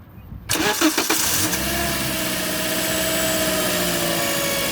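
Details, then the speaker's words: Toyota Auris engine starting and idling: a steady mid-pitched hum or whine from the alternator area rides over the idle. The cause was a failed diode bridge in the Denso alternator, and the alternator was rebuilt. "причина была в диодном мосте именно именно в диодном мосте как я и говорил вот этот шум"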